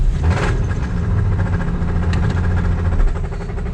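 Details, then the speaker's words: 1978 Plymouth Volare slant six, running at idle after sitting for years: low steady idle with a dull knock tapping at engine speed; suspected bottom-end knock, cause not confirmed. "Something don't sound right. I think if it wasn't knocking, we'd just be driving it right now."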